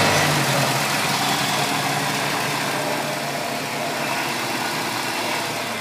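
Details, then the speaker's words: Ford Ranger, start after Bardahl was added to quiet a noisy lifter: a light, quick ticking rides over the idle and eases slightly as the revs settle, a sticking lifter still ticking a bit. "yeah you can still hear that lifter ticking a bit"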